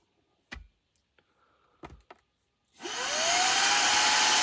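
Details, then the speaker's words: Shark cordless vacuum after motor and impellers were cleaned with compressed air, isopropyl alcohol and contact cleaner to cure a screeching, grinding noise: a few clicks, then a smooth, steady high whine with even airflow, much quieter; normal running after repair. "And that's a lot quieter. You can actually hear yourself think."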